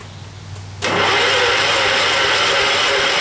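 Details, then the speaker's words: John Deere 212 cranked with brake cleaner as primer: even starter cranking with ragged sputters, smoke puffs and no catch. Hard start, sputtering while cranking; the owner suspects a blown head gasket, not confirmed. "It's starting to sound like the way it's farting that it might actually have a blown head gasket."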